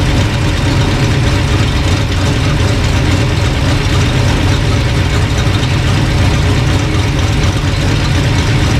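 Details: Old engine after sorting a bad distributor, timing being dialed in with timing light: steady, even low rumble with no misses or knocks, settled smooth idle; normal idle.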